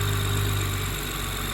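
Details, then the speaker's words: BMW after replacing a torn PCV (crankcase ventilation) valve that was blamed for an engine screaming noise: steady, even idle with a smooth low hum and no screech, whistle or stumble; normal idle. "No, it's good. It sounds good too, right?"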